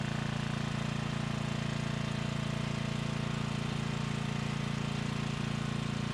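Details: Briggs & Stratton Storm Responder 5500/8250 generator, non-adjustable new carburetor: steady single-cylinder drone turning heavy and labouring under load, dumping fuel and throwing black smoke; running rich, blamed on carburetor adjustment.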